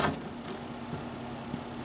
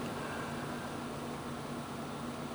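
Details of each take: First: Noisy CPU fan in a cPanel server: steady fan hum with a faint repeated tick roughly twice a second, audible through the case, unlike a smooth-running fan in another server. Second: Server with a noisy cpanel-server processor fan; this clip is the first server, for comparison. A steady, even rush of air with a soft low hum: a fan running nice and smooth, how it should be, unlike the ticking fan.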